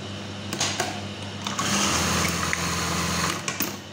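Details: Brother 814 sewing machine, made in Japan: quick, even stitching chatter that starts, runs steady a couple of seconds and stops cleanly, no knocks; normal running.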